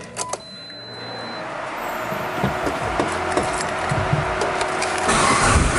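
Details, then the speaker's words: Mitsubishi Evo 8/9 that started then cut off after 10-15 seconds due to failing main fuel pump relay losing trigger signal, now running with relay bypassed: catches and holds steady, even idle without cutting out. "Okay, there it is, it's running."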